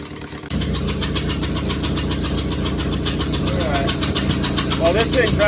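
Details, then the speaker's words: 2001 Honda Civic LX, D17A1 engine, with new injectors and coils, header disconnected. After a brief crank it catches into a loud, uneven chuffing idle that wants to stall, while cold. The owner suspects the timing is off, unconfirmed. "I do hear some exhausting coming straight out of the block which makes me believe that my timing magnificent timing is off"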